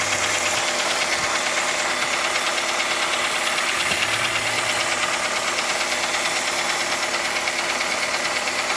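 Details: 2006 Toyota Rush, 3SZ engine, idling in D: a regular knock about once a second over the engine hum, present for about a year; others suggest valve clearance or pistons, cause unconfirmed.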